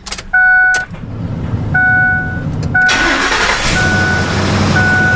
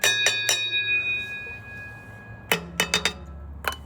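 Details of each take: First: Ford F250 5.4 3-valve, microphone underneath after repair for low-RPM ringing rattle: chimes, quick start, smooth even idle with no rattle; test drive later fine, no check engine light, not transmission; normal start and idle. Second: Ford F250 5.4 3-valve on lift, comparing driver and passenger side catalytic converters: taps ring with a clear metallic ting that hangs after each hit; loose broken converter substrate causing the low-RPM rattle owner blamed on transmission.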